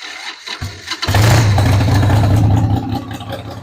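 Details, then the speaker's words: 1993 Harley-Davidson Sportster 883 Evo V-twin, sat about 15 years, fuel turned back on and given starting fluid: short crank, then fires at once into a loud, lumpy rumble and keeps idling on its own despite a dead battery; starts and runs. "So, would you look at that? It's running on its own, dead battery and all. It's not dumping oil all over the place."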